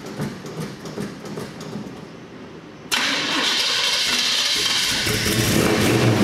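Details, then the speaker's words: Car has a fuel leak letting air into the fuel; owner says it may need priming. About three seconds of slow steady cranking before it catches and settles to a rough idle: hard starting from air in fuel line. "it's got a fuel leak so there's air in the fuel listen to son it"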